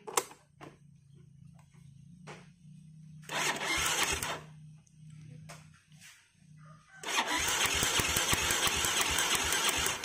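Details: Jupiter Z motorcycle that won't start despite having spark, with a wet black spark plug: two long bursts of even cranking chuffs at about three a second that never catch. The cause was an over-rich mixture from an overtightened carburettor air screw.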